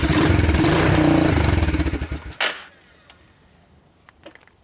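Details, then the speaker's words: Honda TRX250 ATV with apparently new (clone CV) carburetor, started on starting fluid with diesel-contaminated fuel: lumpy, uneven firing about four beats a second that sags and dies within two seconds; possibly flooded; rough running from diesel-contaminated fuel. "okay it seems to be running on starting fluid on look strange started doesn't sound great does it"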